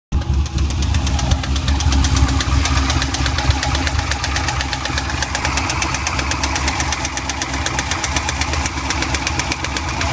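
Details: Running C5 Corvette V8 with a steady, sharp knock that sounds like a spun bearing or lifter but comes from a badly worn AC belt tensioner pulley bearing.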